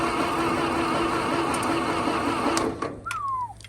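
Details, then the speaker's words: 1922 International truck, unrun 30+ years, solenoid bypassed: slow, labored cranking at about four turns a second that fades out; starter armature/brush dragging and drawing heavy current from the battery. "okay the starter works it does have a brush the armatur dragging in there cuz it's draining a lot of good old cranking amps out of the battery"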